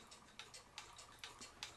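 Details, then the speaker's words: Vintage Japanese Mi-Ken Mickey Mouse moving-eye animated pendulum clock, possibly mid-1960s, after cleaning the movement, re-oiling and straightening the pendulum bob, held level in a quiet room: clean, even ticks about two and a half a second that sound really good; in beat. "i'm going to go ahead and put my level up against it listen to it tick and see if it sounds right at level that sounds really good"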